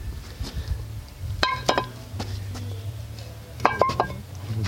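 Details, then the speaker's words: Skid steer axle removed after bearing failure from deep sticky mud: loose metallic clacks in short bursts as the axle is turned by hand; the outer bearing is gone. Worn axle bearing. "you can hear it in there just clack in this one handed here rattling that's all that outer bearing is gone"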